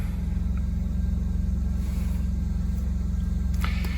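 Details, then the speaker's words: 2023 Coachmen Nova 20C's Cummins Onan generator, just started at home after the recall fuel-line hose replacement for vapor-lock stalling. A smooth, deep, even drone with a steady beat, never faltering or surging; it runs healthy. "we're gonna try this generator see if it works let's go ahead and get it started and it just started"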